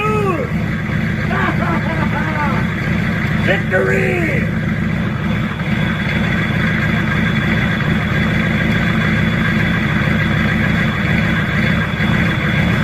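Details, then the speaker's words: Old Chevy C20 crew cab diesel, just revived with jump power and ether, running rough with lumpy irregular clatter, sounding worse the longer it runs. "well we running a few minutes while I put tools away and uh it's kind of kind of sounding more terrible the longer it runs"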